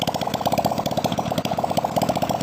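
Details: Nasa 2002 four-stroke motorcycle after new 0.25 oversize piston, crossed ring gaps and new valve seals to cure white smoke and oil loss, run without exhaust: quick, even single-cylinder putter at steady idle, no knocks or rattles; normal idle.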